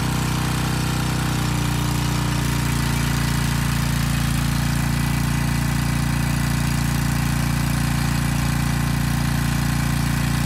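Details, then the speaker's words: Briggs & Stratton Storm Responder generator repowered with a 10 HP Briggs engine under a 3000 W space-heater load: loud steady drone dipping slightly as load comes on, then even, holding about 58 Hz; pulls load acceptably. "okay not terrible but not great at least it was about 58 hertz under a 3000 watt load"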